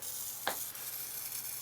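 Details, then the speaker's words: Atwood RV power converter model APS-5530 giving low output (6 V): crackling, frying sizzle with a sharp pop, traced to a failing high-frequency switching power transistor; after repair it gives 13.74 V and runs silent. "oh it's got to be those resistors oh i see i think it's this guy oh boy yeah one of these power transistors that's what's making that noise"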